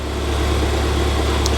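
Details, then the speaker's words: Ford Fiesta ST idling with the engine cover on and the bonnet shut: fast, even clicking over a smooth idle that follows engine speed and goes quiet on overrun. The injectors are loud, possibly larger aftermarket ones, but the engine is otherwise fine. "the engine sounds sweet it's just the injectors are a bit clicky"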